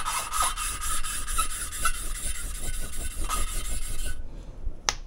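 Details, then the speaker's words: Mercedes OM 646 821 cylinder head, lapping a valve with abrasive: soft rhythmic rustling rasp, nicer as abrasive breaks finer, then stops; valve seat lapped in smoothly. "а звук уже такой по приятнее более шелестящий там внутри абразив и он в процессе притирки изменяет свою Фракцию становится более мелким"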